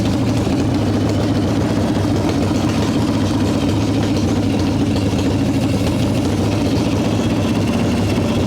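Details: 1995 Harley Evo Softail V-twin, first start after rebuild: loud heavy uneven lope that will not settle, revving up; owner suspects intake air leaks, janky idle screw, possibly ignition issues; rough idle.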